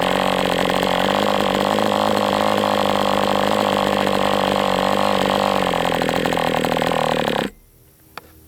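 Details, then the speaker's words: MDS 68 FS Pro four-stroke model engine on break-in runs with 11x8 prop; high, steady buzzing run at speed with a slightly soft, uneven edge before cutoff; high-speed needle still slightly rich, tweaked another 1/8 turn. "Okay, so with this plug and this high-speed needle setting, it still is a little bit rich."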